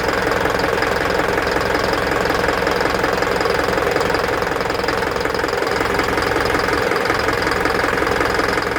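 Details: Isuzu NPR diesel at idle, check engine light with DTC P0202 cylinder 2 injector circuit from a loose connection; regular knock about three a second with uneven beat: injector misfire knock.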